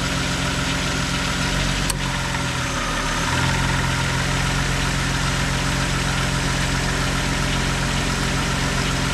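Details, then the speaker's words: 2000 VW Eurovan at idle after the noisy A/C compressor bearing and clutch were replaced: compressor kicks on and cycles smoothly, with the bearing whine and grinding gone. "Okay, so as you can see, the compressor is now kicking on, working properly."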